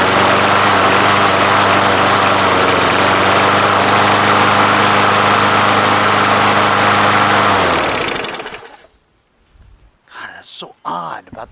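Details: Craftsman push mower, Briggs & Stratton 6.75 Quantum auto-choke engine, after winter storage: runs rough and rich as if on choke, steady thrum then sags and dies; covering primer hole to Welch plug made it run well, suspected vacuum leak, fixed by carburetor swap.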